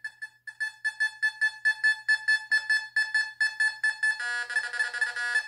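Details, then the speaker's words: Fisher F44 metal detector air test in Custom mode with user-set tones on an Australian copper penny at about 12 inches: crisp beeps twice a second, then a warbling tone; normal target response at greater depth. "all right we'll go with the australian penny look at this okay much deeper so the people that did the videos and said it can't pick up a quarter at six inches are wrong look at this we're going back 12 inches for the australian copper penny"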